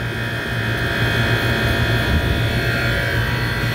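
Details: Walk-in cooler reciprocating (piston) compressor running after a PM service where it had sounded like pumping rocks: even, steady hum with a smooth low pulse, no rattle; drawing about 11.2 A against a 10.9 A rating.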